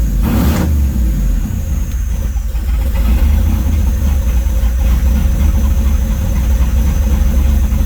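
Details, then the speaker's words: Circa 1972 Chevrolet C10 with 5.3 V8, stage 2 cam, LSA supercharger (about 5 psi), 03 Silverado PCM, on a supplied startup tune, warm: idle surges, sagging and recovering instead of holding steady; hunting from poor tune. "and it just it'll keep hunting for itself here in a minute once it warms up it starts hunting and starts chasing itself it'll dip down and then come up and get down and come up barely run doesn't want to rip"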